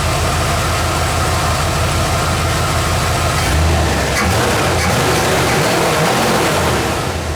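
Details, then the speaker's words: Bullnose Ford F150 junkyard truck V8 idling after carb swap and new low-pressure Edelbrock fuel pump and fuel line replacing high-pressure pump and return lines; earlier scraggly noise, possibly pinging, no longer heard; steady even deep rumble, no miss: normal idle. "i don't really hear that noise anymore [Music] do you think that was uh maybe like some pinging or something running pretty damn good"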